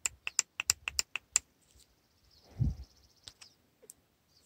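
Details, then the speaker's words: Purge solenoid valve bench-tested off the vehicle with battery voltage applied to its terminals; it gives a string of crisp audible clicks each time power is applied, so the solenoid is switching normally. "plan a battery voltage to the purge valve terminals and see if it produces an audible click yep we can hear the solenoid is clicking"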